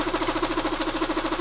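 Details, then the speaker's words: Fast, even rapping, about ten knocks a second, at idle; the knock returns as the bolt propping the timing drive is backed out. Timing drive knock. "А теперь я его откручиваю. И вот он загремел."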